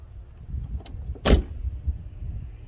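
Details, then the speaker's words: Jeep XJ driver's door after check arm replacement: one clean, solid door thump with no creak, pop or rattle; the new check arm works smoothly and the door noise is gone. "Look at that, no noise. Isn't that great?"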